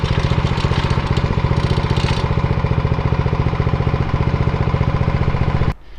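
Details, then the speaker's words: Atco Royale B24E cylinder mower, single-cylinder engine: fast, steady thumping at fixed speed about six seconds then stops; runs off choke unloaded but needs a couple of clicks of choke under load, carb to revisit. "I can have it totally off choke and it does actually run okay but as soon as I put it under load it doesn't like being totally off choke so I have to click it onto clicks and then it's okay"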